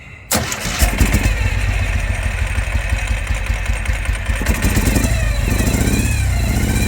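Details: 2005 Ural Patrol twin motorcycle firing only on the left cylinder, after pouring a little gas into the dead cylinder, which did nothing: fires after cranking, then a lumpy, uneven low beat with a chuffing exhaust, running on one cylinder.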